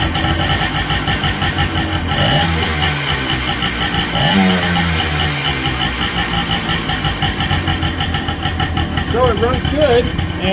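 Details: Low-hours Honda ATC250R two-stroke three-wheeler during restoration, hard to start, now running: raspy two-stroke idle with typical ring-ding popping and throttle blips; sounds healthy, normal idle.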